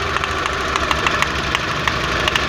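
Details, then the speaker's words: VW Jetta Mk4 2.0 losing power badly: lumpy idle with uneven stumbling pulses and sharp ticks; cylinders 1 and 4 not firing though spark is present, spark plugs to be checked; misfire on cylinders 1 and 4. "el carro sigue fallando exactamente igual. O sea, exactamente, no están trabajando esos dos cilindros, el 1 y el 4, pero sí hay chispa."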